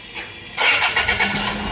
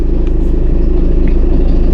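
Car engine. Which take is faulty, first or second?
second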